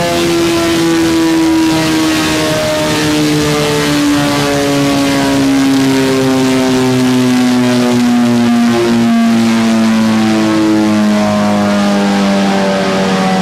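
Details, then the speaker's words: 2022 Suzuki GSX-S1000 GT with Akrapovič exhaust, dyno pull at full throttle: hard high-rpm howl that sags instead of climbing; makes power then falls on its face, briefly recovers, falls again. "But the thing goes up and makes power and then literally falls on its face. And it came back for a second and then it just continued to fall on its face again."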